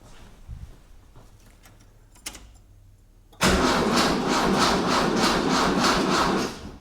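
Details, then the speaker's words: 1976 Mitsubishi Galant hardtop with a 2.6 L Astron from a Sigma, brand-new battery, no fuel in tank, car left in gear: sluggish, even starter chuff about three times a second, never catching. Slow cranking, no start. "Um was cranking slow, but don't know. It's brand new battery."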